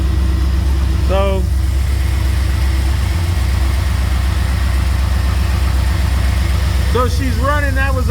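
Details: 2003 Chevrolet Silverado 2500HD that cranked but wouldn't start, after fuel pump relay test and regular relay reinstalled with fuel pressure confirmed: steady, deep, even idle with no misses or stumbles; starting and running properly.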